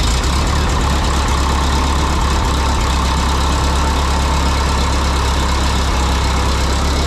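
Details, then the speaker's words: 1952 Harry Ferguson TO20 tractor after a carburetor rebuild: low, uneven chugging that stumbles and drops out, sputtering and down on power; number two cylinder misfiring from a spark plug fouled by the poor-running carb, its exhaust manifold cooler (~120°). "well that's a little embarrassing apparently our poor running carburetor uh caused a f plug the foul so the number two cylinder it it was sputtering and spitting and it just was down on Power and um sounded like it missing"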